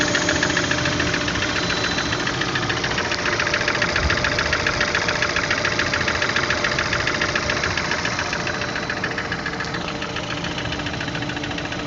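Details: Engine knock: steady idle with a regular light knock, about three to four a second, over the engine note; cause not clear.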